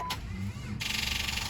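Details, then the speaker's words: 1997 Jeep Grand Cherokee, 4.0 inline six, crank-no-start complaint with check engine light on: a thin rapid buzzing chatter of about ten pulses a second and no engine turning over; the battery is too discharged to crank. "Ah, damn it, there's not enough juice in the battery."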